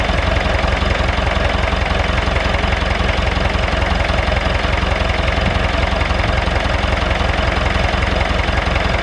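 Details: David Brown 996 diesel tractor, left sitting about 10 years, just started: steady, even clatter at a slow idle of about 160 beats a minute, no misses or surges; normal idle.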